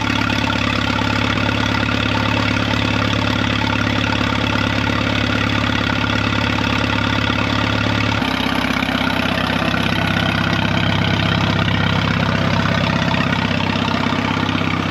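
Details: 1936 Allis Chalmers WC tractor barn find, just started, burning oil out of the manifold, oil pressure up: a steady, even low thrum for sixteen seconds with a slight settle in pitch midway and no knocks or misses; smooth idle.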